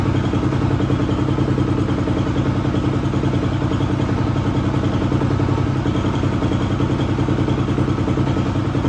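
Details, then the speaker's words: 2004 250R single-cylinder four-stroke dirt bike, bought non-running, now started: steady even thumping about three a second with light clatter; motor sounds healthy, an unidentified clanking not from the motor. "Well, as you guys seen, I got the bike running and I mean, sounds pretty good."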